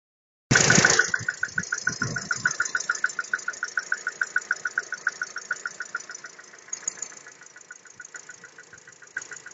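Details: VW EA211 MPI 1.6 (90 hp) at about 9,874 km on factory VW oil, started in the morning at −6.5 °C after sitting outside overnight following a 380 km drive: a sharp, regular tick about 3.5 times a second over the idle. Cold-start engine knock.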